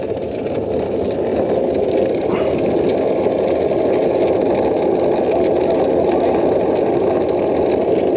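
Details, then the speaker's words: Peugeot P4 (Mercedes G-Wagon military) in neutral, opposite wheel chocked, wheel turned by hand: coarse steady grinding rumble, suspected from the transfer box, not yet pinned down. "going to try and I'll chalk the wheel on the other side or spin this one and he'll listen if that noise is coming out the transfer box"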